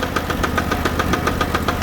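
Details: Sears Suburban garden tractor idling after the transaxle failed while moving firewood, fourth transmission this year: sharp regular knocks about seven per second over the engine, loose transaxle clanking under load; chain slap first suspected, ruled out.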